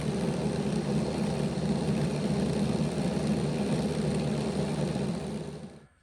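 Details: Bachmann Dash 9 model locomotive on stationary rollers, run in reverse: the rear motor block, which kept stopping, gives a steady coarse growl, more of a growl than the front block's, from poor motor contact with the contact strips before repair.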